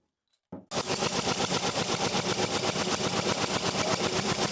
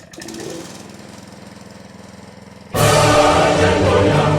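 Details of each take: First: Honda GX160 single-cylinder engine that had been sitting, fresh spark plug, spark confirmed, starting fluid used: fast even chuffing while cranked, about four beats a second, never fires; won't start, low compression suggests valves out of adjustment, burnt or bent. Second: Honda GX160 single-cylinder engine revived after repair, choke on, fuel on: soft fast thumping, then it catches and runs loud and steady on the first try; healthy.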